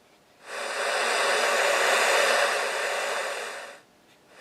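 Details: Homebuilt two-valve super-regenerative VHF receiver (120–160 MHz), heard after audio mods including an audio-taper volume pot. A steady rushing hiss swells smoothly, holds, then fades evenly: the normal sound of a working super-regen.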